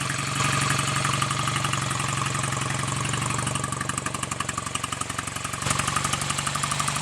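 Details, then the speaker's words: BSA A65 Lightning twin after full rebuild (reground crank, new big ends, main bearings, rings, valves, guides), Pazon electronic ignition: dull, somewhat uneven idle near 230 beats per minute, lazy and flat; timing still retarded, to be set with a strobe. "yeah i can tell that that is still running too so um i'll put that in order next get the strobe on it and get the timing exactly as it should be"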